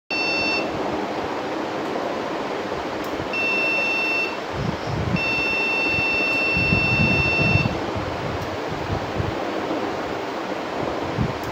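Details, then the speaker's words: Desktop PC at startup: repeated high-pitched POST beeps over loud hiss with no display; persists after cleaning the RAM; replacing the RAM stops the beeps, later another RAM gives display. RAM fault. "Change the RAM, sound gone but no display."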